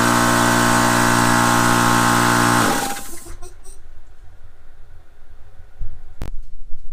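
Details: Air compressor started on a wattage meter to measure its draw: steady, even motor-and-pump drone with no knocking or rattles, then it spins down and stops; the compressor runs normally.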